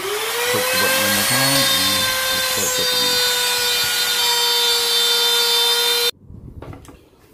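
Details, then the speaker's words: Grizzly T27139 quarter-inch laminate trim router with plunge base, about 4 months old, cutting a circle: steady high whine then stops dead without winding down, cutting out repeatedly and restarting by itself; intermittent motor cut-out, warranty issue, cause unknown. "notice it just starts by itself now i'm starting to wonder what's going on i haven't even made a whole turn and this inched off three times on me"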